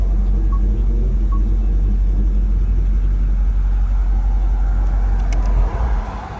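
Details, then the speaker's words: 2010–2012 Dodge Ram just after fuel pump replacement, engine light on; low, even, smooth steady idle beat with no stumbles or hesitation until shut off near the end, normal idle. "अभी गाड़ी स्टार्ट करते हैं। स्टार्ट हो गई, लेकिन engine light दे रहा है।"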